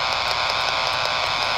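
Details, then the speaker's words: Power-line interference on 80 m and on the roughly 300 MHz band, traced with a Yagi near three utility poles: harsh raspy buzz pulsing about five times a second; which pole is the source is unconfirmed. "But I've got to a point now where this appears to be the pool. However, when I wave the Yagi around, it is so loud."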